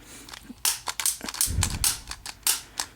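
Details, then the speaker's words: 1986 Williams Forsaire direct-vent furnace, original to the condo, knob set to pilot and button held in: string of sharp irregular piezo igniter clicks, then a soft whoosh as the pilot catches; ignition works. "oh for God's sake there we go got fire"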